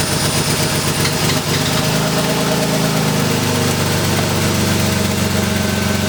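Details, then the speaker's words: Crashed BMW E36 cold start into a busy, uneven idle with a raspy puffing chuff over the engine note; an exhaust leak at the header flange, which the owner believes was not tightened properly. "all right guys so as you did here the car is still doing the like so exhausting somewhere I did not do the header like tighten that properly so probably time to do that"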